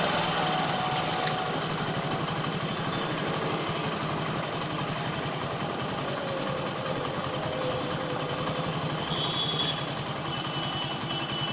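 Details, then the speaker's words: Hero HF Deluxe single-cylinder motorcycle, idle set to about 800 rpm during carburetor mileage tuning; headlight flickers slightly, confirming idle between 800 and 1000 rpm: steady low idle with even firing, no misses; normal idle. "इसे अब लगभग 800 RPM पर set कर दिया है।"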